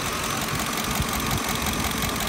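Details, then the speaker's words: 2007 Ford F-150 5.4L 3-valve Triton at idle, heard at one bank's valve cover: quick light ticking in time with engine speed, with a raw fuel smell. It resembles lash adjuster noise, but the fix is checking spark plug torque (25 ft-lb) for a loose plug. "over here there's a definite ticking or tapping noise coming from the mouth of our area"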